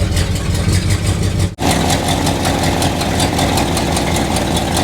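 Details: 1976 Chevy or 1964 Chrysler after new spark plugs and two replaced plug wires: loud, lumpy idle with uneven pulse and momentary drop-outs like a missing cylinder; owner suspects a vacuum leak from taped-over ports, improved after plugging them.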